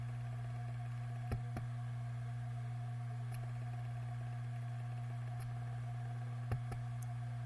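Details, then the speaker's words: WD Green 1TB drive in a MyBook external USB enclosure, failing after over 7 years power-on time; steady hum broken by clunks, roughly every 10 seconds even when warm and idle; spindle motor not at fault. "even after it's warmed up and even an idle every 10 or so seconds it will make a like a clunk noise"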